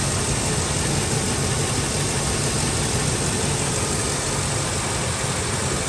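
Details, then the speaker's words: Ford F-350 5.4 on cold start, no service engine light, idle hunts up and down unevenly under a rough steady drone and tries to cut out but catches; a broken intake air breather part is then found. "um it's only going to get worse i'll try to see if we can get something [Music] out why i don't suffer just at all like it tries to cut out but it catches back idle every bracket bro"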